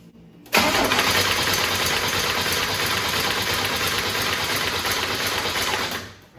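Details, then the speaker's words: 1987 Buick Turbo T (Grand National), not run in 12 years, after loose ground and wiring repairs: starter churns the engine evenly for about five seconds and never catches; injector pulse present but no spark on tester. "All right, so great news. We are getting injector pulse. We're just not... We are getting injector pulse. We're just not getting spark."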